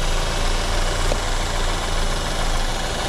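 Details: Cheap Copart BMW F30 showing about 6,000 miles, first start after long struggle: steady low idle with rough rattly undertone; abnormal noise at idle, source not yet identified.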